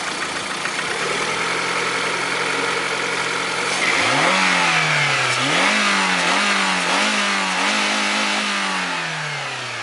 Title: Приора стук двигателя 21126